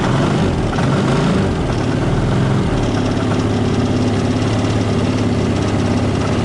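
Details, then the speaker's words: 2014 Linhai Big Horn 400 UTV, cold, just started by jumping ignition wires after the carburettor was refitted: steady, even low idle thump without stumbles, knocks or surging; normal cold idle. "let's see if this mess works so that's good and sounds good"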